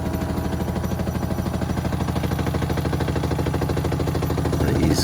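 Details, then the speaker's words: Hotpoint WMXTF942P washing machine at full spin speed with a full load, covers off: heavy low rumble with a thump about three times a second as it vibrates excessively; the drum has no play and the dampers (shock absorbers) are likely dry. "As you can see there, it's vibrating quite a bit at full speed with the full load."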